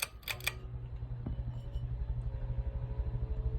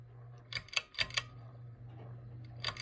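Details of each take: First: Heritage Riviera ceiling fan on high: low motor hum with a faint tone climbing steadily in pitch as the fan spins up, a very rapid startup sound; normal high-speed startup. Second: Heritage Riviera ceiling fan on low: a low motor hum broken by short bursts of sharp clicks at irregular intervals; everything seems tight, and the owner suspects something loose inside.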